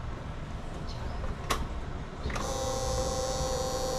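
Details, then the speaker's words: Honda motorcycle fuel pump motor runs too loudly: a click, then a steady high electric whine; pump works normally but the noise is excessive, fixed by replacing the pump motor inside the fuel tank. "วันนี้ช่างใจจะมาซ่อมHondaเรียบร้10iนะครับอาการที่ว่านี่ก็คือว่ามอเตอร์ปั๊มติ๊กมีเสียงดังครับทำงานเสียงดังมากเกินไปครับนะ"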